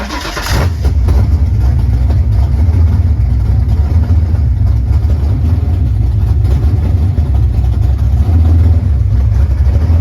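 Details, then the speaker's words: 1989 Ford Mustang GT Fox body V8 after replacing the bad throttle position sensor: catches and settles into a steady, even low idle around 900 rpm with no stumble; definitely better, still needs fine tuning. "turned off by itself. You just gotta find. Definitely better. You gotta fine tune that shit though."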